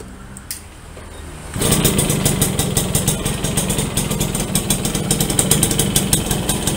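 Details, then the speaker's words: Yamaha V75 two-stroke after bore-up to 72cc and clutch repair, previously weak and rough: fires up and holds a fairly even, crisp idle with a quick steady beat, smoother than before, no roughness or rattles. "sudah lumayan halus ketimbang yang pertamanya teman-teman"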